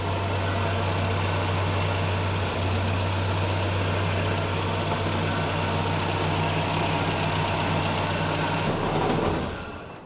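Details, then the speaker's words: 1950 Willys M38 Jeep, first start in over 15 years after a new wiring harness, fluid change and redone fuel system. The cold engine runs a steady, even, smooth low idle on choke with no misses; a fuel leak was spotted afterward. Normal cold idle on choke. "Taking the choke off. Oh, putting the choke back on. Definitely likes a little choke."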